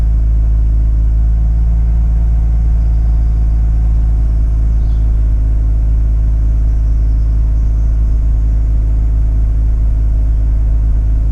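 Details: Mazda RX8 rotary, cold start: misfires first few seconds then settles to a steady fast high idle with even low rumble, misfire not noticed; once warm idle hunts with low-rpm misfires. Later fixed: injectors incorrectly wired.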